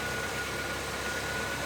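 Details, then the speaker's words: 1988 S15 pickup after a fuel pump replacement, fixing a run-then-stall problem. Short, steady, even hum with no misses, knocks or surging; the engine is settled at a smooth, healthy idle. "All right, as you can hear, I got it running."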